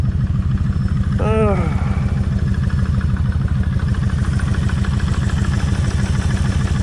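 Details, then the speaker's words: Kawasaki Vulcan 1600 V-twin, warm idle, mic near front cylinder: busy loose rattle riding the beat, about three per second, louder on front than rear cylinder; front cam chain slack, tensioner/adjuster needs backing out and resetting. "it's a lot noisier on this side than what it is over here so that tells me I need to pull all this off redo the same thing back that adjuster out"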